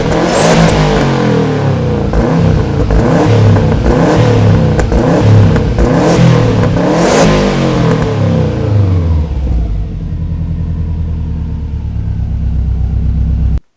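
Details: Subaru Forester exhaust noise after an accident, shortly after a cold start: several clean throttle blips climb and fall smoothly, then settle back to a steady idle. Healthy engine and exhaust.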